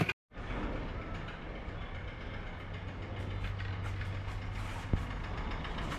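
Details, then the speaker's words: 2016 Kia Sorento 2.0 Theta II at idle after a jump start: low steady idle with faint metallic chatter on top, called terrible; loose main timing chain rattle, with timing and oil pump chains to be replaced. "And you can see just what I'm talking about here on this noise. Man, it's terrible. All right, let's get it pulled into the shop quick before that noise goes any longer."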